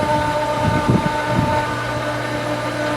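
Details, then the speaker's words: Pool pump on its first start of the season, priming: a steady motor hum with a labored, churning edge and uneven surges. Running light and straining to pull water and catch prime. "i kind of know based on the sound of it right now it sounds like it's really trying to pull some water"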